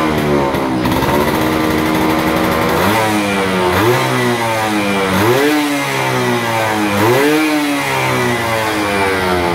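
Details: Suzuki FR/F1ZR 110 two-stroke, stock engine and original ignition, after replacing the damaged carburetor with a new one (cylinder head still old): crisp blips climbing and dropping back cleanly with no stumble or hesitation; revs freely now.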